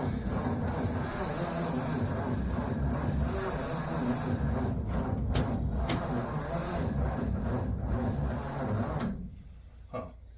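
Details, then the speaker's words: 1959 Ford Vanette with 272 Y-block, long sitting, first start attempt: engine turns over very slowly with sluggish, uneven starter chugging, then stops without catching; fuel pump faulty so gas poured into carburetor; slow cranking, no start. "we have the engine turning over very slow but it's turning over"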